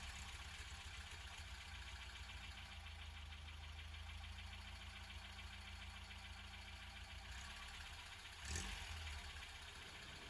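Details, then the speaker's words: 1989 Mk4 Ford Escort started cold after sitting almost a year, with no choke needed: a quiet, steady low hum holding an even idle without hunting. Normal cold idle; the clutch release bearing is noted as failing. "incredibly as you can see he ran no choke needed just idle perfectly and it hasn't been started in almost a year"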